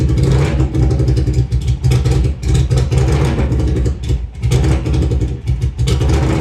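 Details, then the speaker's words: Honda Silver Wing (GL500) V-twin with new custom stepped unequal-length headers, no mufflers: very loud, raw, crackling exhaust bark rising and falling with each rev; fuel leaking; loud exhaust from open headers. "anyways what I thought would be a 3-day project turned into 3 weeks but um time to see what it actually sounds like okay that's pretty loud"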